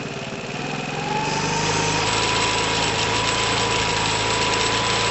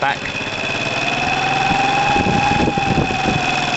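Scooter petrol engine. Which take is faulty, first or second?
second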